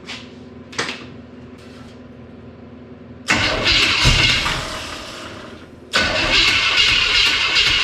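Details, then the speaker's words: Old engine with timing known to be way out, fuel pump on: cranks, catches and runs ragged a few seconds, fades and dies, restarts after ignition switch cycled; losing spark, owner suspects bad distributor. "Okay, I lost fire again. So, what is it, guys? We got a bad distributor."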